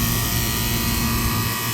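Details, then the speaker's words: Office AC unit, compressor running after the thermostat call: loud, rough, constant roar with a coarse low hum underneath, much noisier than a healthy compressor; unit may be vibrating heavily. "all right this compressor sounds like junk it's really loud"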